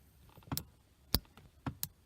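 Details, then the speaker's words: 1993 C4 Corvette power seat lumbar pump, not working since owned, button pressed before repair: a few sharp single clicks about half a second apart with no motor hum; pump clicks but does not run, diaphragm failure commonly to blame. "as you can see nothing happens and here slight click when I press the button"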